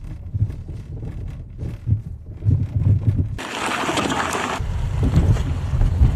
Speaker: Y se da al pasar solamente por baches. Si al pasar por alguna irregularidad escuchas golpes en la dirección así secos, puede que el problema no sea solamente la dirección, sino la suspensión que está conectada a ella.